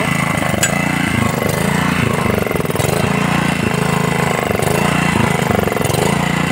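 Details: Honda GX80 water pump engine after tank, filter box and carburetor cleaning: small single-cylinder thumps at a steady, even pace with no stumbling or surging; running properly.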